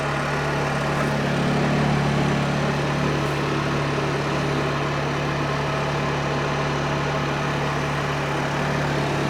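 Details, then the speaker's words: Honda EU2000i generator after carburetor cleaning for running only on choke, warmed up and powering an RV air conditioner, not in eco mode: steady, unwavering drone; normal running under load. "Okay, so we've got good power."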